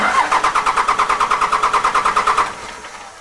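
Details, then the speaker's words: 2002 Dodge Cummins 24-valve diesel after FASS fuel pump and drawstraw install: starter turns engine in even pulses about three per second, no start; cranking to purge air from fuel system. "And what we're going to do now is, we're just going to crank the air through it."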